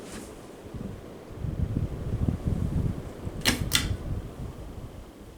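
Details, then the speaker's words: 52-inch Halsey ceiling fan with cane blades, switched down to medium: soft low whoosh and two switch clicks, previous bearing noise gone, owner wonders if it only appears when bearings heat up; slight hum remains. "Go down to medium. And yeah, the bearing noise is gone."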